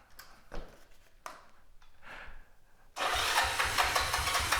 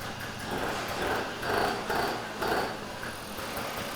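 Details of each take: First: 1969 Honda CT90 with 125 conversion: a few short cranking attempts (the gas was off at first), then it catches and settles into a quick, even putter at idle. It starts and runs normally. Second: 1983 Honda Aero two-stroke scooter: it idles fast and uneven, pulsing about twice a second without settling, and the automatic choke (electric bystarter) is suspected still closed; not confirmed.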